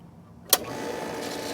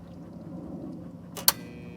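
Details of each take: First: Pool pump that only hummed and would not run, after replacing the failed run capacitor (30 µF, 370 VAC): click, then motor spins up into an even whirring run with steady mid hum; pump starts and runs normally. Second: Pool pump switched on: a steady low electrical hum with no spin-up, the motor stalled. The fault is a failed capacitor on top of the pump, replaced with a 30 µF 370 V run capacitor.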